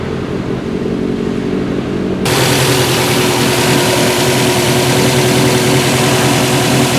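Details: 2014 Subaru WRX Premium at idle: hunts and shakes with an uneven pulse of about four beats a second instead of a smooth hum; rough idle under diagnosis, cause unknown.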